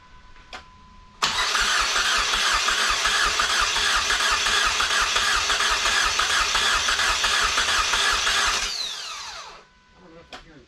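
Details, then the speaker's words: SRT4 engine and transmission from a wrecked car, test-installed: about seven seconds of steady rhythmic cranking that never fires; no fuel, traced to a bad homemade fuel pump rewire off the alternator. "okay well they had modified something here for the fuel pump um there was like a type of rewire coming off the alternator"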